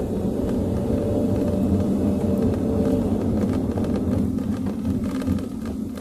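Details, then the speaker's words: Road test after cleaning rear brake shoes and drums and checking shoe adjustment (shoes were dragging as if handbrake slightly on): braking hard over humps, only steady road and engine rumble, earlier rear "tok tok" knocking gone. "So far, wala na akong naririnig na tunog na tok tok tok katulad ng kanina nang nasa video pinakita ko, pinakinggan ko sa inyo."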